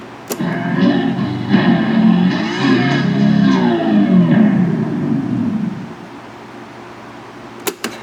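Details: Califone 3670AV-1 classroom listening center playing a tape, music with a slow wavering warble, pitch sagging and rising unevenly; tape speed wobble.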